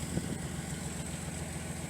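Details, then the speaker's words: Datsun 280ZX idling with a new aftermarket muffler: a steady, even idle with a deeper, fuller note than the stock muffler, not overly loud. Runs smooth and healthy. "It's just a little bit louder than the stock muffler, but it's not too stupid. It's not stupid loud. I like that."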